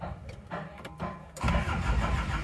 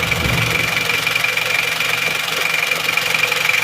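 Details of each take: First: Isuzu Panther Miyabi diesel after an engine overhaul: uneven, labouring crank for over a second before catching into a rough idle. Hard start because the glow plugs are inactive and must be pushed manually. Diesel also drains back from the injection pump to the tank because the feed pump fails. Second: Isuzu Panther Miyabi diesel after engine overhaul, hot, idling with a crisp, even clatter of roughly four ticks a second and no misses; little smoke, pump timing thought still too advanced; normal idle.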